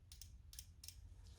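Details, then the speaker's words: Injector one from a 1994 Vauxhall Astra GSi C20XE red top, removed and bench-tested on a cleaning kit powered by the battery; tapping the positive gives three sharp solenoid clicks then a faint spray hiss: normal injector operation. "so i'm just gonna tap the positive so you can hear it clicking"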